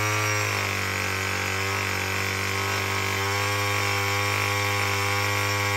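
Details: Murray M2510 two-stroke string trimmer after no-start repair; steady, buzzy high-pitched drone holding speed without sputtering; running properly.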